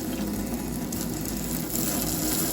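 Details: Newly installed Delta Varos single-handle kitchen faucet run hot and cold with aerator head removed: steady, even rush of water with no sputter, hammer or hiss; faucet flowing cleanly and sounds healthy.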